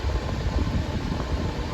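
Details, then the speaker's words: Patton fan revived after cleaning and lubricating the shaft, on high: smooth even whoosh with steady low motor hum, no ticking; running healthy. "wow it's quiet sounds good let's see about see the switch is still functioning medium yeah i can still hear the motor humming and low"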